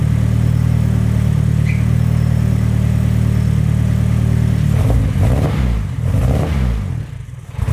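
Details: K24-swapped turbo Nissan Cefiro, run after unlocking timing from zero, heard from the rear exhaust, not yet at operating temperature: smooth, even low idle with steady hum, no knocks or misses; normal idle.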